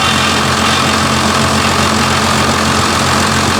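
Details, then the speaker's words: First-gen diesel test-fired after the injection pump tamper-proof collar was removed and reassembled: steady, busy idle with an even drone, running clean but noticeably fast; high idle from the fuel screw setting. "You want to leave it? Or is it too high? Or, I mean, if it's at 8, I would probably leave it, but it's your call."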